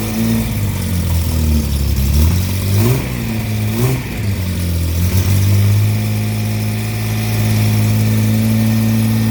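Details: Car with rebuilt SU flat-top carbs, after the distributor fix restored consistent spark, started on choke: a steady, even idle with clean throttle blips, running normally.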